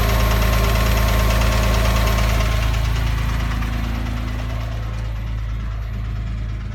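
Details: 2006 Porsche 997 3.8 engine at idle: even, quick metallic tapping keeping pace with the engine, an internal tick; owner wonders about piston slap or hydraulic lifters, cause unconfirmed.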